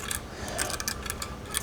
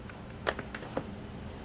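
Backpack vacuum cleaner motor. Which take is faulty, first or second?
first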